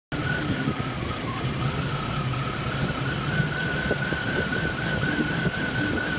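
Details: 1995 BMW 318ti M42 petrol engine with rough idle, vacuum gauge test: uneven idle with an irregular low pulse and a steady high whine above it.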